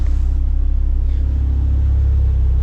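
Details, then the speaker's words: Ford Focus Mk2 ST, warmed up, just after fitting Airtec oil breather kit and catch tank: deep steady rumble revved gently, no ticks or rattles; normal revving, no leaks or smoke. "So she's warmed up now. Let's give her a little tickle, and then just double check afterwards."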